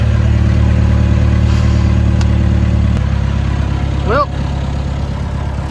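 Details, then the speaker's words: Caterpillar 416 Series II backhoe diesel fires right up after a battery connection was tightened and the battery charged, settling into a steady, even low idle with a clean firing rhythm and no knocks. Normal start and idle. "it actually runs. Fired right up."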